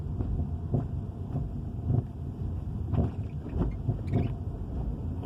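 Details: 2013 Dodge Charger Hemi: deep engine rumble with loose, uneven knocking and rattling roughly once a second; owner asks what causes it, cause unknown.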